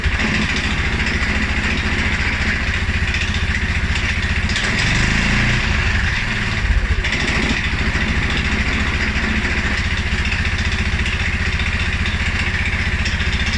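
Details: 2011 Polaris Sportsman 550 XP: low, uneven, loping idle of about four beats a second that stumbles midway. It also stumbles after a ride or a couple of revs. Dealer found TPS, IAC and TMAP in spec; valve clearances, timing, plug and 43 psi fuel pressure are good. Rough idle, cause unknown.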